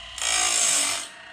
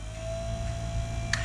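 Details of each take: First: Woodland Mills Grindlux 4000 sharpening an old Lenox sawmill blade, first pass on these teeth: short high hiss-scrape rising and fading about a second; grinding wheel only contacting the edge of the gullet. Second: Woodland Mills Grindlux 4000 sawmill blade sharpener resharpening an old Lenox sawmill blade, wheel lowered a quarter turn: quiet hum, then a loud, even two-second hissing grind as the wheel sweeps the whole gullet cleanly without touching the tooth's backside; correct full-gullet grind.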